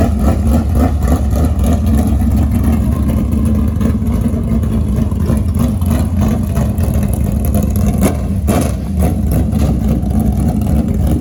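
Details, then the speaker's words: 1967 Chevy Nova barn-find project, believed to be a 604 V8, test drive after restoration: deep, even V8 burble steady at idle, swelling smoothly when revved, no knocks or misses; healthy. Transmission lacks second gear and reverse, linkage to check. "Thing sounds good. It should be a little 604."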